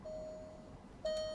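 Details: 2021 Alfa Romeo instrument cluster buzzer activated via ThinkScan 689BT bidirectional active test: two clean, steady mid-pitched beeps about a second apart with nothing behind them; buzzer working properly.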